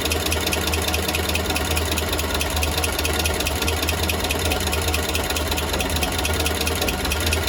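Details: Engine at steady idle after an exhaust leak was fixed: a faint, uneven ticking rides over the low hum. Some extra noise is present, and the cause is not clear from listening.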